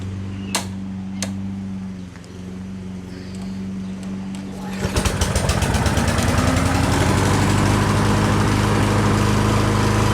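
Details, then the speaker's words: Lawn Boy push mower after fitting a new flywheel brake pad to fix it not shutting off: engine fires, runs at a steady even buzz, then winds down cleanly when the brake engages; pad expected to break in. "so all right so there you go tried it a couple times it seems to work good i'm sure that brake pad will work itself in"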